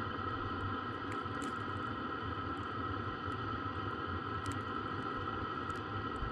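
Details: Webasto parking heater in a Sherp running normally at about 25°F, heard from outside: a steady low combustion roar with a constant fan whine and no misfire pulses or surging. It is loud outside, not inside.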